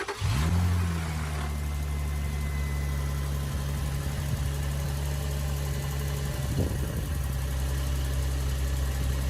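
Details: 2004 Infiniti G35 first start after alternator replacement and battery reconnect, before the thermostat opens for coolant bleeding: quick start flare then smooth, steady low hum, no belt squeal or chirp; normal idle.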